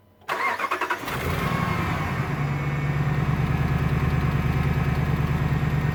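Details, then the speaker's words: 1500 truck, 5.7 L engine, 270,000 miles, pulls 4–5 tons; started just after a synthetic oil change with oil stabilizer. At idle a light, regular clicking rides over the steady note, present for 3 years, source unknown. "Hear that little clicking? There's a little bit of clicking. Had that for 3 years."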